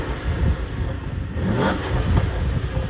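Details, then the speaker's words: Jaguar S-Type 3.0 V6 rev test: deep V6 rising on a quick rev, sharp pops and crackle off throttle over outdoor noise; healthy, exhaust crackle normal. "lovely pop and crackle and exhausts oh it's just that is glorious"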